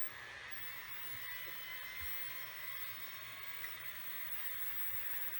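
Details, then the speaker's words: RCA VFT-650 top-loading VCR from 1981, made by Panasonic: fingers on circuit pins give too low a resistance and drive the head drum into overspeed; faint, steady high whine over hiss, far higher than normal running. "and now it's completely lost its mind because I sent it into like a he speed frenzy by putting two low of a resistance with my fingers"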